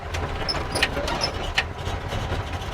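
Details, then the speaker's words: 1957 Chevy V8, ice-cold start: low steady idle rumble at about 800 rpm with 80 psi oil pressure, even beat, no knocks or misses; normal cold idle. "The car is ice cold. We got 80 pounds of pressure and we're at like 800 RPMs."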